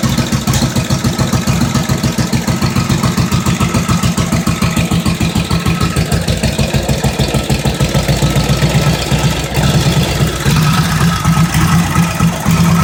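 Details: 1945 Indian Chief V-twin fired up after re-rebuild (new rings, honed cylinders, lapped valves, new head bolt washers, intake manifold and seals): strong steady loping thump, about 3.5 beats a second; normal idle.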